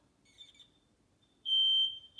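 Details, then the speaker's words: Old interconnected smoke alarms in new house, after a unit was replugged (green light on, still no piezo): faint chirps, then a loud steady high-pitched tone in two long blasts as it set off another linked alarm; interconnected alarm sounding. "There, it set off that other one."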